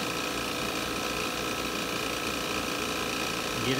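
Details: Refrigerant recovery unit pulling refrigerant from a Daikin heat recovery unit through manifold low and high side, before inverter compressor change-out: steady even mechanical drone with constant whirring, no knocks or surges; recovering normally.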